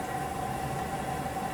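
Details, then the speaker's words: LG WM4000HWA TurboWash front load washer on Tub Clean cycle, filling through the detergent compartment with 57 minutes left, apparently alternating hot and cold: steady hum with soft rushing hiss; normal fill. "Ah, okay, so with 57 minutes left, we are now finally filling up with some more water. It's filling up through the detergent compartment this time."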